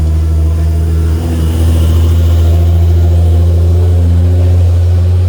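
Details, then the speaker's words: Freshly rebuilt Nissan R35 GT-R VR38 engine just after first start: deep, steady rumble settling evenly, no knocks or ticks; good oil pressure, later up to temp, bled, no leaks; normal running after engine rebuild. "She's alive. Finally, it's got good oil pressure. Not bad. She's alive. She's up to temp. All bled up. Sounds good. No leaks."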